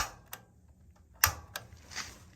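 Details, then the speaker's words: Gas water heater, lighting the pilot: five sharp dry uneven snaps over two seconds in a quiet room as the igniter button is pressed; the igniter sparks normally and the pilot flame lights. "right here and depress it and hit this igniter switch, I'll know if that pilot flame is actually lit."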